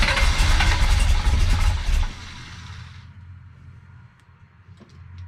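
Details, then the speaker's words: Big-block Chevy with a big, high-overlap cam and a rebuilt Holley 750 double pumper with holes drilled in the throttle butterflies: loud run, then a lumpy, uneven idle that won't settle. Owner suspects low vacuum from cam overlap. Rough unstable idle. "n just something else isn't right okay so the thing is when you got a big cam with a lot of valve overlap um your engine doesn't create the vacuum that it should so the air doesn't flow through the carburetor like it should"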